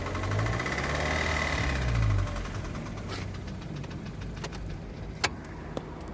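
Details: 2006 Audi A3 8P 2.0 TFSI: uneven running with rhythmic metallic marble-like knock from top left, power loss, check engine light, apparent cylinder 4 misfire code; owner fears lifters, timing chain tensioner or cam follower; dealer recommends coils and plugs.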